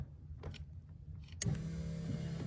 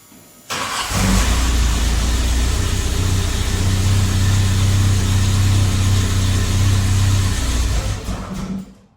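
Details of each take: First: VW Mk1 with CIS fuel injection, fuel pump relay bypassed: sharp click, then the electric fuel pump runs with a steady even low hum, pump working normally. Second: VW Mk1 CIS engine not getting fuel, fuel pump relay bypassed with a jumper: engine cranks briefly, catches and runs steadily, then stalls the instant the jumper is removed, pointing to a failed fuel pump relay.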